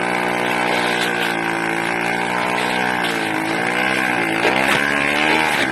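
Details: 80cc two-stroke engine, raspy, surging up and down about every second instead of holding steady revs; hunting, erratic running, owner suspects a carburetor or intake manifold leak.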